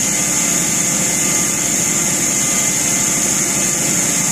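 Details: Deutz 1015 diesel after overhaul: constant, even running under a strong high fan hiss, with no knocks or surging; sounds healthy, normal running.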